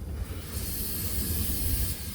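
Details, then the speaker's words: Thermo King SB230 reefer unit: a steady high hiss over a low rumble that eases off toward the end. The air leak is not at the chamber but at one of two air hoses, believed to be the bottom one. "where i found the leak so it's actually not the chamber it's actually this holes here see it's one of those two hoses here i believe is the bottom one"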